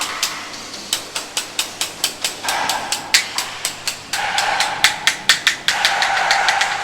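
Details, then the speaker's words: House inspection, floor tiles tapped by hand about two taps a second; solid tiles give a dull thud, while this one rings with a hollow pop; tile has lost its bond underneath and is marked for repair. "อันนี้เจออีกหนึ่งจุดเสียงมันจะต่างกันท่าไหนแน่นๆมันจะปึ๊กๆๆถ้ามันไม่แน่มันจะป๊อกป๊อกๆๆ"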